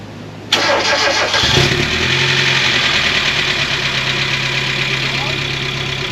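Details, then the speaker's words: Mazda Miata at first start after full maintenance, heater on to fill the heater core. The engine settles to idle with a fast, light lifter tick over the hum; the owner suspects it comes from sitting a long time. "dude that LIF tick sounds bad you got the heater on I think it's just melting I think it's just coming off the head like kind of settle down"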